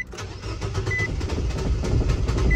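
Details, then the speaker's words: 2018 Nissan Versa 1.6 L four-cylinder, cranks but no start since a paint job: steady starter churn with light whir, briefly runs a few seconds then dies; scan shows ignition timing, MAF and injection pulse normal. "Oh, it kind of started running there for a minute. It stayed running for a few seconds and then it shut off."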